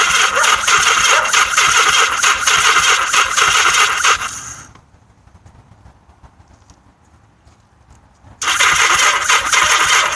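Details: Yamaha XS1100 motorcycle starter whirs at roughly three turns a second for several seconds, pauses, cranks again without firing; crank no-start, cause given as weak battery and an "octy" installed incorrectly.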